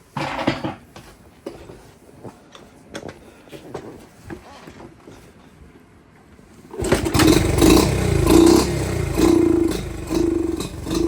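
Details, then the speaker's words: Dirt bike with the fuel/air mixture screw at about a turn and a quarter out (stock is about 1¼–1½ turns): idles smooth but responds sluggishly when revved because the pilot circuit is way too rich. "See how it's no bueno for us. So even though you can hear the idle, it's way smoother, sounds good, sounds healthy. Go to rev it. So in our case here, that's not good."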